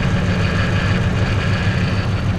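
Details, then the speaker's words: Ford F-150 5.4 3-valve V8 with cam phaser and timing chain problems: rough lumpy idle; unplugging injectors on one bank made no difference, so none of those cylinders is firing. "essentially these injectors are running you unplugged them the engine got worse hard to believe it got worse but it did but this side made absolutely no difference not one of those cylinders is running"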